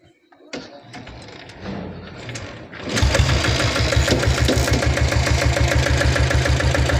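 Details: Restored old Royal Enfield diesel Bullet, engine untouched apart from an oil service and head work: catches after a few seconds and settles to an even thump of about seven beats a second; normal, healthy idle.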